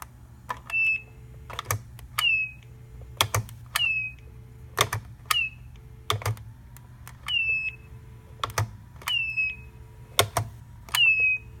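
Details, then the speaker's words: Dorm room telephone: short high chirps sliding down near 2.5 kHz, repeating about every second between clicks; squeal occurs only when the handset is lifted off the base, not the switch hook, cause unknown. "So it only happens when I lift the handset off of the base."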